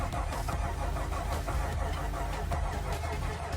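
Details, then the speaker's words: Even cranking rhythm that never catches on a Jeep Liberty KJ 3.7 after head gasket and timing chain work, on a weak battery after fuel system sat open; the cam position sensor was left unplugged. "it really sounds like either the timing is off like the timing chains aren't aligned properly or there's something unplugged something uh something"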